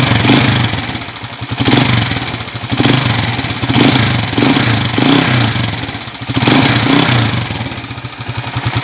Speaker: so Ayan po narinig niyo yung andar maingay malagitik Ayon napakinggan niyo na mga kaabo yung andar niya kanina